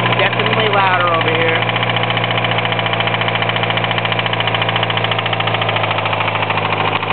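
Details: 1993 Mitsubishi Eclipse 4G63 at idle: a sharp, even knock about three or four times a second. Owner suspects a spun rod bearing; bottom-end knock unconfirmed.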